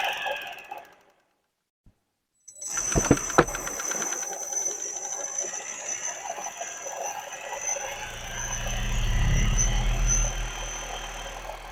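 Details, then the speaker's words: Car 12 V alternator converted to a brushless (BLDC) motor, RPM not measured (no meter), spinning up to a thin, steady high-pitched whine with faint rising hum, running smoothly at high speed; normal high-speed brushless motor run. "इसका RPM बहुत ज़्यादा है। इसका sound आपको हम सुनाते हैं। इसका साउंड सुन सकते हैं दोस्तों कितना ज़्यादा है, ठीक है।"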